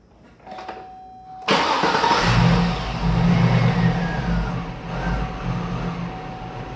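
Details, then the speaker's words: No-fuel test with the fuel pump relay removed and starting fluid fed into the intake: after a quiet lead-in it catches abruptly, runs roughly rising and sagging for a few seconds, then dies for lack of fuel. "they're actually started perhaps for a little bit and then it died basically what we did we didn't have any fuel we added a fuel source with the starting fluid and we were able to get it to start and run for a couple seconds before it ended up dying for a lack of fuel again"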